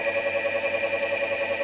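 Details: Electric drive motor (Solectria encoder board) spinning in gear on light throttle after encoder adjustment by ear: clean, steady whine with gentle even pulse, no roughness or buzz; normal.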